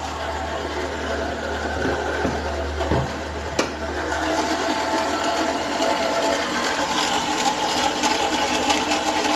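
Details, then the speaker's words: Renault Sandero 1.6 8-valve, owned one month: loud fast clattering tick over a rough idle from the top of the engine; owner suspects cylinder head or rocker arms, cause unknown. "Então, esse é o barulho que tá fazendo. Nem faço ideia do que é, se é do cabeçote ali, dos balancinhos ali, alguma coisa assim, cara."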